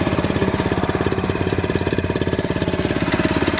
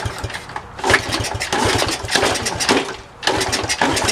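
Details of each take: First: Honda CT70, restoration project, just roll-started after failing to start, air filter off: crisp, regular single-cylinder putter holding an even beat; healthy idle. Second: Honda CT70, restoration project, first start attempt after refuelling: uneven firing bursts that catch briefly, stumble and fade, no steady idle; hard starting and sputtering, later runs after a roll start.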